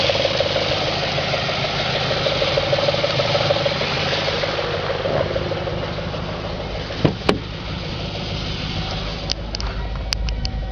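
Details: 2004 Audi S4 4.2L V8 at idle, oil pressure over 100 psi at idle (gauge possibly hooked up wrong): uneven tapping knock under a rough idle note plus a couple of sharp clicks; engine knock at idle, cause unclear.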